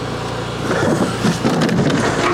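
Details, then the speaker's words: Troy-Bilt TB240 mower with Honda engine, being diagnosed for a self-propel drive that doesn't work, blade in terrible shape: uneven whirring hum that wavers and rattles; running rough, cause not yet found. "Okay, so it runs. But boy, does that thing not sound happy."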